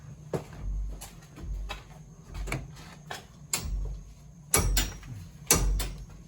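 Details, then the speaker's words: Long Island home steam heating system where a radiator was added over 30 feet away on an undersized pipe: sharp, irregular metallic bangs about once a second ring through the moving pipes, with low rumbling between them. Steam hitting water causes steam (water) hammer. "So that hammering sound that we're hearing is steam hitting water and violently exploding that water. And it expands thousands of times its original size. And you have this banging sound, which is annoying because some knucklehead decided to do this."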